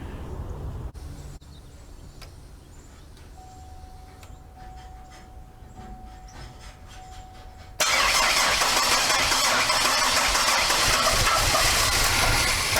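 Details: GM 3800 Series II V6 after overhaul, first start after installation: fires at once and settles into a strong run without knocks or ticking, oil pressure almost immediately, though it is said to run badly.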